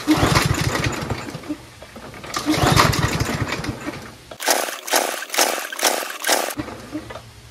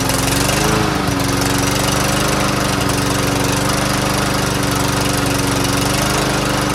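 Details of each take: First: Troy-Bilt TB110 push lawnmower with auto choke, after sitting, gas in tank: five quick recoil pulls with short raspy bursts and no firing; owner pulls repeatedly to draw fuel through and loosen a possibly stuck float, rust or ethanol residue in the carburetor. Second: Troy-Bilt TB110 push mower that wouldn't start, after cleaning the carburetor and drilling it out, with good gas and clear fuel line: single-cylinder engine settles into a steady even drone, no missing or surging; runs cleanly after repair.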